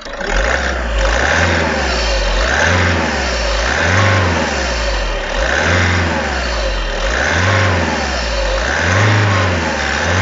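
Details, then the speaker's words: Audi A3 1.6 TDI (CAYC) diesel, which also has a ticking knock: repeated blips rise and fall slowly and never build sharply; the pedal must be held long to reach 3000 rpm. No fault codes; cause unconfirmed. "Donc l'accélération je la trouve pas très franche. Vraiment appuyer longtemps pour que ça monte à 3000 tours."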